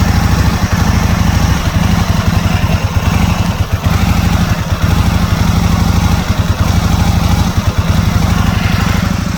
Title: 2001 Aprilia Futura Struggling To Idle (Rough Idle, Not Running)